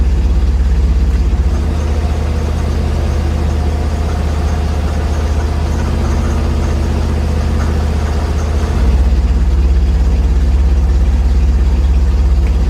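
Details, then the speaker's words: 1963 Chevrolet Corvair idling in drive: heavy low drone pulsing about three times a second, which does not really happen in neutral. Source unknown. The car also has intermittent power-loss electrical faults. "what is [Music] that if it's in neutral doesn't really do it"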